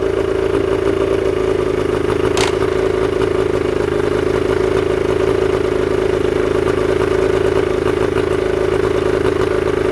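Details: Old two-cylinder Evinrude two-stroke outboard with dual carburetors and a single ignition coil, run after sitting: steady, busy buzz with a light rattle at even speed; it runs smoothly with no misses.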